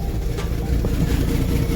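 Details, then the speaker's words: 1993 Ford EB Falcon, about 211,000 km, on ramps before catalytic converter replacement: uneven, lumpy idle with irregular low beat; owner thinks ignition timing is off and hopes new cat helps; cause unconfirmed. "yeah, as you can hear, not running the best. So got a few things to fix up. I'm going to turn down cuz it doesn't sound like it's timed right."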